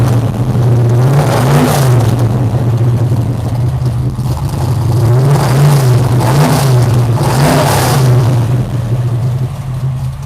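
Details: Carbureted V8 formerly plagued by backfires: deep burble swells and falls with several clean throttle blips and never pops or backfires; sounds healthy.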